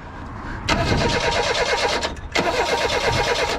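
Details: 1988 Reliant Rialto, non-running project, at near full throttle with brake cleaner sprayed in: two cranking bursts with ragged firing that never settles into a run; owner believes it is fuel starvation.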